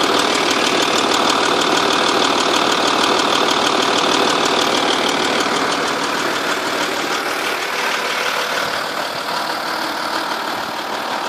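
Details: 2.5 V6 TDI diesel at steady idle: a sharp, fairly even tick around 3.5 per second, loudest from the car's sides. From underneath it seems to come from the rear passenger side of the engine. Cams were previously replaced; an exhaust gasket leak is suspected but not found.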